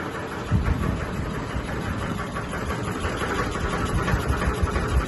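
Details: Sony ceiling fan, 2022 model, at full speed: deep, uneven rumble with irregular heavy thumps and shaking, wobbling badly, cause unclear. Ceiling fan wobble and vibration.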